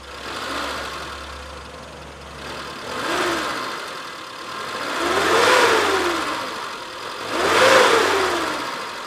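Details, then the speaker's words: 1996 Suzuki Futura Realvan 1.3 GRV being revved. Four smooth throttle blips, revs rising and falling cleanly with no knocking or misfire; the engine sounds normal and needs no repair, though the valve cover looks a bit tired. "suara mesin sebenarnya normal-normal aja nggak ada yang apa namanya istilahnya nggak ada suara-suara yang istilahnya mesin itu Perlu diperbaiki lah"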